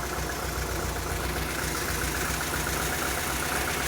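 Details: 1986 Saab 900 8-valve K-Jet, sat three weeks, after repair work: low idle with slightly uneven, lumpy, wavering beat; idle oddly lower than before; cause later found to be a plugged injector starving one cylinder.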